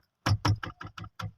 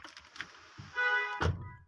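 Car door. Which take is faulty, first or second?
first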